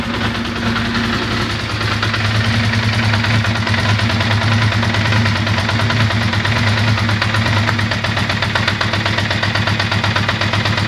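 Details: Ducati Monster 620ie: lumpy idle with irregular stumble, about four pulses a second; bad injector, confirmed by swapping injectors, which moved the misfire to the horizontal cylinder.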